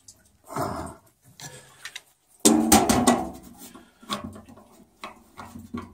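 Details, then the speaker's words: Boiler expansion tank, warm and still draining after the auto vent was removed: tapping gives dull, dead thuds with no hollow ring, showing the tank is flooded with water; it is to be drilled to drain and replaced. "Tank's kind of flooded, so it's warm as can be and it's still draining."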